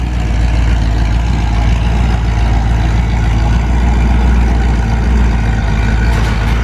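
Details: 1973 Ford Mustang V8 after fitting single-wire distributor, new plug wires, spark plugs and carburetor; deep steady rumble with even beat, no misses, knocks or stumbles; normal idle.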